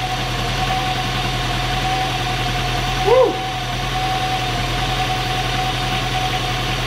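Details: Seat Cordoba 1.6, first start after head gasket replacement: steady, even idle with a smooth low hum and no knocks or misses; engine settles and runs cleanly, normal idle.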